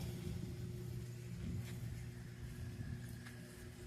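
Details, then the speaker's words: Consul 12 kg washing machine that screamed during spin, after a rubber part was fixed, spinning with little water: a low, even hum as the drum accelerates, with no slapping, squeal or rubbing. The noise is cured. "vai acelerar porque tem pouca água aí gente já tá se refugando ó sem barulho"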